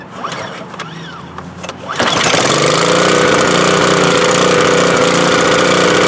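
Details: Subaru-engined electric-start pressure washer, checked for oil or fuel leak after adding oil, started on choke: small single-cylinder catches after brief crank and settles into steady, even run with crisp exhaust; healthy.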